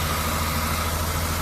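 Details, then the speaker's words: 1974 Triumph TR6, revived after about four years off the road: after hooking up the loosely connected coil, it idles steady and even with no misses; coolant is suspected to be low. "I got to check the coolant cuz I think it's low so stand by it's running and it's running pretty damn good"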